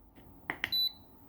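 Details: Programmable electronic load on a 1.5 m USB 2.0 extension cable: two short high chirps then a fifth-second beep, undervoltage cutoff tripping; cable maxed at 360 mA instead of the 500 mA USB standard.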